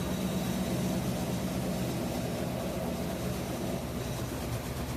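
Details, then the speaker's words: Whirlpool washer WTW4816FW3, bought new July 2023, circuit board already replaced, burned-rubber smell, possibly from working too hard: steady motor drone and drum whir, spinning when it should be rinsing, with a new noise; owner checks for loose metal. "So it's spinning when it's supposed to be rinsing. It's making new noises too, but still it's spinning. It's not rinsing."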